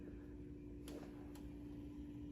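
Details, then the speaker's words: Compaq Presario 2266 (late-1998 budget PC) in APM sleep, with the hard drive spun down: the power supply fan keeps humming steadily with a faint whine, oddly staying on. "here's a the power supply fan huh well that's bizarre"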